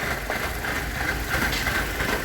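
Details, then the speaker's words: Petrol engine with check engine light barely running at idle, uneven stumbling misfire and shaking; vacuum leak suspected, idle improved when cleaner sprayed around PCV valves. "see if we can find something like a vacuum leak or some other reason for it to be misfiring like this well if you listen to that barely running shaking"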